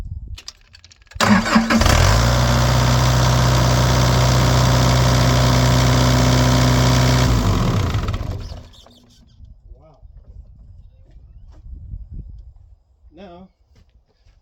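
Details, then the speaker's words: Bobcat E80 excavator that was hard to start and would die after starting, with water-in-fuel indicator lit; after fuel filter change and clearing water from the separator it cranks briefly, fires almost instantly and settles into a steady diesel idle; normal start. "that was a big difference see how fast it started up didn't cut off that's great"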